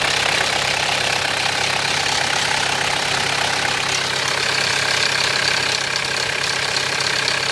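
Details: 1993 Mitsubishi Pajero 2.8 diesel automatic at steady idle: quick even metallic rattle about four a second from the front of the engine; owner suspects timing chain rattle, not confirmed.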